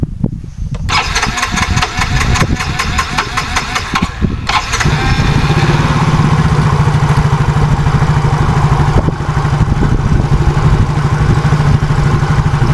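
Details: Yamaha Soul GT fuel-injected scooter, complaint hard starting and sputtering, after replacing the fuel pump and clearing water found in the fuel: a few seconds of cranking, then catches cleanly and settles into a steady, even idle; normal start and idle.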